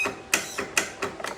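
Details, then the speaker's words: 2025 Toro 42-inch zero-turn mower, used about 8 times, battery charged: no start, sharp dry clicks about four in 1.5 s, no cranking; solenoid and battery suspected first, but starter pinion found stuck up in ring gear under top cover. "Alright guys, so I pulled off 6 of these 10mm screws, pulled this cover back, and what it was is my starter was stuck in"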